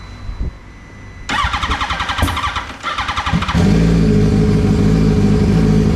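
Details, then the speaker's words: Turbocharged Yamaha R1 on a self-built base map, idling below 3000 rpm: engine catches, pulses unevenly as throttle is blipped, bogs down, then settles to a rich steady idle; acceleration enrichment adding too much fuel. "we can work on the Excel enrichment because that's coming in a little bit too strong we're adding a bit too much fuel uh so we Riv it and as you saw I rived it and it really bogged down"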